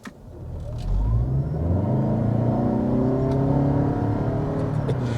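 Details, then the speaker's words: 2021 Toyota Avalon XSE Hybrid (2.5 L four-cylinder, 215 hp, e-CVT) in an acceleration run with traction control on. The engine note climbs smoothly and evenly as the car pulls hard, with no knocks or rattles over the road rumble. A peppy surge of torque; normal acceleration. "yeah you need to feel a surge of torque and it's really peppy honestly this engine is a 2.5 liter four-cylinder"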